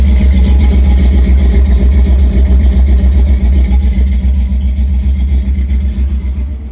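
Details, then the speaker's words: Rebuilt 351W V8 swapped into a 1973 Mustang, serpentine setup, first start after many failed attempts: deep, even rumble with steady firing pulses, no misses or knocks, slowly easing off; healthy running engine. "I don't know about y'all, but I think this thing sounds pretty damn good. Maybe I'm just riding this high that all this effort seems to have paid off. But holy cow, does it feel good to finally hear this thing running for the first time."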